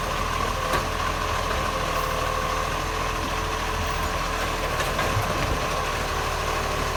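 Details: Acco garbage truck #2538 at a loud, steady diesel idle with a harsh, raspy edge over the engine note, indicating an exhaust leak.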